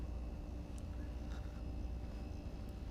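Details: Vacuum pump evacuating a large vessel as mixed part A/B RTV silicone releases trapped air and rises. A low steady hum with an even faint whine above it, no knocks or surging: running normally.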